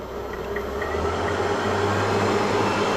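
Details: Merrychef Connex oven blower motor driven by VFD speed controller, commanded to 100% during speed-control test; steady low hum swelling as fan reaches full speed then holding even; normal blower run.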